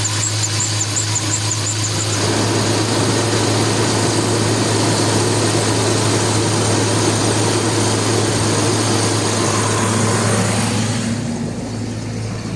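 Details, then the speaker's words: BMW E53 X5 after fuel pump replacement (old pump intermittently stopped, causing no-start/stalling), fuel pressure now normal: steady, even idle with smooth low hum, no misses or stumbles; running cleanly. "Վերջ, խնդիրը լուծվեց, խնդիրը բենզանասից էր, որը ժամանակ առ ժամանակ չէր պտտվում և բենզին չէր ապահովում իմ շարժիչին:"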